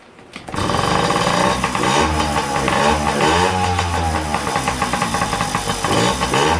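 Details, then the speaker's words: Yamaha PW50 two-stroke after flushing the float bowl, fuel on, choke on: catches after a brief crank and settles into a steady buzzy idle with fast even firing; runs cleanly, no carburetor rebuild needed. "well guess we don't have to get in the carp here after all"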